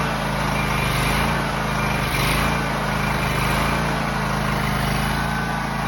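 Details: John Deere X304 lawn mower after freeing stuck carburetor fuel shutoff valve, carb not fully cleaned, probably sat about two years: small engine holds steady even drone, no misses or surging; runs pretty good, normal running.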